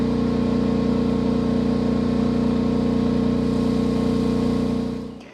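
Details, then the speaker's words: New Champion 11000 W tri-fuel inverter generator at 75% load test; steady, even engine drone, firm low hum, no hunting or knocking, then winding down; surprisingly loud but running normally. "75% load test, which I'm actually kind of surprised it's this loud."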